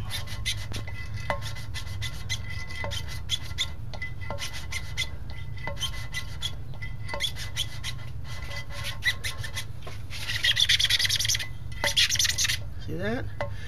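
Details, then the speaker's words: 327 engine build, hand-lapping a valve with a suction-cup lapper and compound: uneven gritty rasping about four strokes a second as the valve turns on its seat; compound still cutting, seat not yet clean. "see it's already nice and quiet doesn't take a whole lot you can tell you said you can definitely hear the sound change when those surfaces uh get nice and cleaned up"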